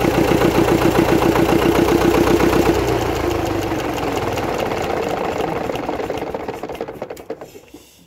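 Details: Gardner 4LW diesel, cracked head repaired, running after priming and bleeding the fuel system on a very cold morning; old unrestored engine. Slow, steady knock about three to four beats a second, even and settling; normal cold running.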